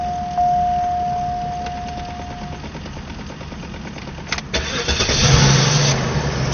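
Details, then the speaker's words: Cadillac DeVille, third or fourth start after a fuel pump replacement: starter cranks briefly, engine catches cleanly and settles into an even idle; starts and runs normally. "We see she sounds she sounds great, Benji. You don't hear you don't hear any."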